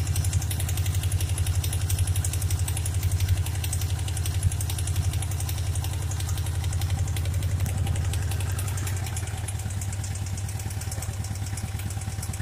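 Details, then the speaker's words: Suzuki Katana GSX 600 motorcycle at idle: steady exhaust pulses with a regular light tapping, roughly two per second, heard more on the right side; knock seems to come from the cylinder head, valve adjustment or camshaft wear suspected, not confirmed. "Ну, по всей видимости, стук идет из головки. Возможно, пора регулировать клапана или же смотреть по стеле распредвалов."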